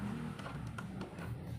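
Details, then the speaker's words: Old-model desk fan that only hummed and turned slowly, after replacing its capacitor, runs on speed one with a steady low hum and no rattle or grinding: healthy motor. "pindutin ko ko lang dito sa number one Ayun umikot na mga kabuting at napakabilis pa at wala pa itong ingay"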